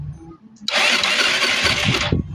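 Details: Euro 150 fuel-injected scooter that suddenly won't start: short burst of fast whirring starter crank, no firing; injector sprays fuel but plug stays dry after cranking. Crank no start.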